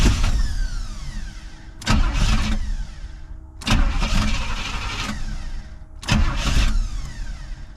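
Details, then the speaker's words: 1985 Pontiac Trans Am after sitting a year: three crank attempts each catching briefly with a rough burst then dying; won't stay running, owner suspects it's out of fuel, no fuel spray seen at rail. "is oh it wants to run I I really got a question if it's out of fuel"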